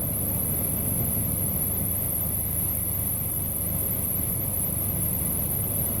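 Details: Engine jump-started from the repaired Stanley-type jump starter box (positive to B+ on fuse relay center, negative to engine ground): even, steady low-rumble idle with no misses or knocks; running smoothly.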